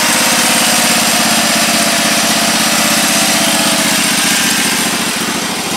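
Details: Husqvarna YTH1342XP riding mower, 13 HP engine, running steady and even with a fast patter and no knocking or miss after the bad PTO was found; a seized PTO bearing had likely been stopping the engine. Normal running.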